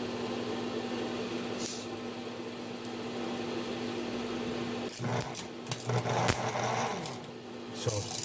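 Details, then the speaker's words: Diesel starter on bench with solenoid bypassed: low steady motor hum, then rough scraping bursts from about five seconds in; slow dragging spin, owner suspects worn bearings, solenoid also partly at fault. "part of it is the solenoid. Oh yeah, sounds like bearings in here."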